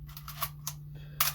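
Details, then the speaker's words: Canon AE-1, repaired for shutter squeak and slow shutter with a tiny drop of lubricant, compared with the Canon Program camera: several crisp snappy shutter clicks, no squeak or drag, both now the same speed. "now if we compare that to our program where's the button yeah here it is you can see they are the same exact speed now"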